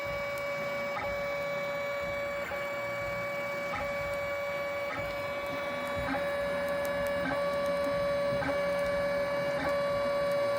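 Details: 3D printer's steady motor hum and regular stepping with faint sharp crackles and pops from the nozzle during extrusion; prints come out bubbly, cause unidentified.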